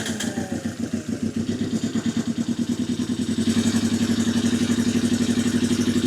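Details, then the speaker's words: 1982 Yamaha XS 250 Special 250cc twin being revived, on a bigger battery: fires without choke and settles into an even, slightly lumpy idle with steady firing pulses and no knocking; runs fine. "So that fired without the choke on. Yeah, it doesn't sound too bad, that."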